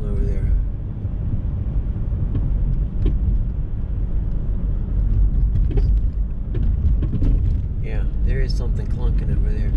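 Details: 2007 Hyundai Sonata driving: irregular hollow clunks through heavy road rumble from the front passenger side, like something loose; front suspension clunk noticed over the past week.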